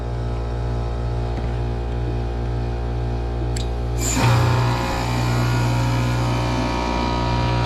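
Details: Outdoor heat pump unit, fan disconnected, cycling defrost: heavy low hum with coarse, uneven rumble that roughens; rough compressor about to fail and needing replacement. Total draw 11.5 A, fan about 1.2 A, compressor about 10.3 A.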